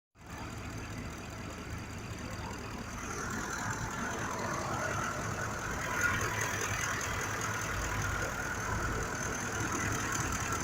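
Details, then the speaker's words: 2005 Ford F-150 with the 5.4 V8 idling with an uneven, lumpy beat: one cylinder misfiring from a faulty fuel injector, even though the scanner shows no injector fault. "estancamiento es una ford 2005 con el moto 54 tiene una falla en el cimiento 2"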